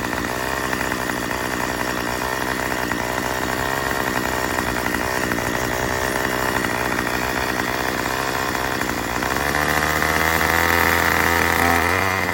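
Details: Murray M2500 two-stroke trimmer after new carburetor kit and fuel lines: buzz holds steady then stumbles and sags when throttle opens; still bogs, owner suspects mixture needs adjusting with supplied tool.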